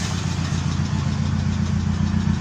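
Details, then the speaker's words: Opel Kadett after radiator replacement and fuel pump work, idling while radiator fan fault is traced: deep even idle with smooth low rumble and no knocks or misses; normal idle. "So, I'm actually still busy sorting out the fan problem. That's why I'm sitting in the car and letting it idle."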